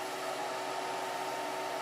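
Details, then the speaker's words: Modified 15V/10A PSU used as variable 8–20V battery charger, charging a battery at 9.8 A and 12.67 V; steady, even airy whoosh with faint constant hum, no rattles, cooling fan starting normally under load, charger working as it should. "And you can hear the fan. The fan is already starting, and this is a good sign. That means that the charger is working as it should."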